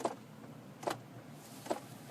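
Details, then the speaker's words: 2002-2010 Ford Explorer with no heat, engine warmed up, heat turned on: sharp regular clicks about every 0.8 s from the center console by the feet, a temperature blend door actuator with broken gears. "Now, as you may know, the blend door actuator on these, the gears break off on them, and then they start trying to move"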